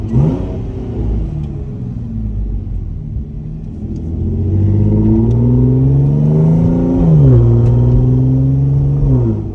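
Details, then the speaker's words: Audi S5 after full engine swap, driving with no check engine lights: smooth pitch climbing evenly through the revs with one clean shift, no misses or rattles; owner says it sounds like a GTR; normal acceleration. "This car sounds like a GTR, y'all. Like, I'm not even kidding. It sounds just like a GTR."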